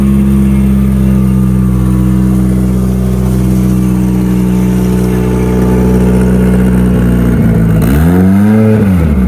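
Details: Mitsubishi Evo turbo build for dyno prep after home upgrades, already driven: steady even idle then clean blip of revs rising and falling; fires up good, sounds healthy before boost leak test.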